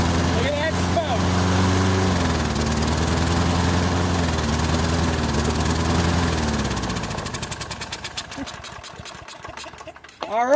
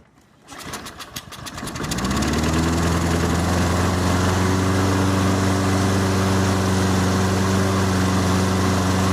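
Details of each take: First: Toro Recycler 22-inch push mower, Briggs & Stratton 190cc, running while AMSOIL Power Foam saturates the carburetor: steady running, then pitch sags and the beat slows and stumbles until it nearly dies, bogged out by the cleaner. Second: Toro Recycler 22-inch push mower, Briggs & Stratton 190cc, restarted after a 10–15 minute AMSOIL Power Foam carburetor soak: pull start, a few catches, then a steady, even single-cylinder drone; smoke burned off, runs healthy.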